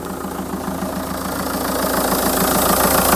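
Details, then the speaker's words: 2004 VW Touran 2.0 TDI 136hp AZV, just started after tandem pump replacement and fuel repriming: steady diesel clatter at idle, an even beat of three or four a second. Runs smoothly. "ça a l'air de bien tourner j'ai plus mon souci de la C"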